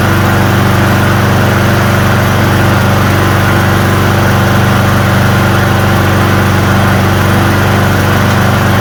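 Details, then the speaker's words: Hyper Tuff small engine after carburetor cleaning and reassembly, with water in the gas suspected as the culprit: a steady, even low chug at constant speed with no misses or surging; it now runs smoothly. "As you can hear, it's running way more than he said it was going to."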